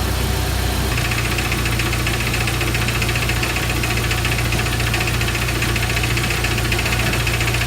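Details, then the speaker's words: 1999 Jeep Wrangler TJ at warm idle: a loose, regular knock about twice a second that disappears when revved. Timing chain slap is suspected, not confirmed; the oil is fresh. "the interesting thing is it knocks only while it's idling when you rev it up it knock goes away so hopefully it's not the major"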